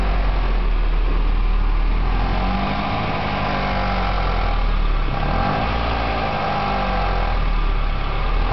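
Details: Nissan 240SX KA24DE idling after running a while: light tick about four per second over deep exhaust drone, noise carrying through exhaust system; owner suspects sticky valve lifter, possibly knock, not confirmed.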